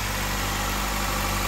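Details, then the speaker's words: 2009 Nissan Altima, first start after replacing spark plugs and coils to cure shaking and rattling; smooth, even petrol idle with steady low hum, no shake, rattle or stumble, normal idle. "all right it's time to start her up it's not shaking anymore"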